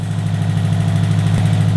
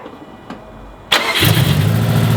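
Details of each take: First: Built 2005 Subaru WRX STI first start after engine repairs: raised idle with quick steady low pulse, faint click near end; lean around 18 AFR on an unlearned tune, aftermarket injectors, earlier ticking gone. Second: Built 2005 Subaru WRX STI first start after engine repairs: brief crank, fires and settles into steady idle; previous ticking gone, light even clicking is the aftermarket injectors.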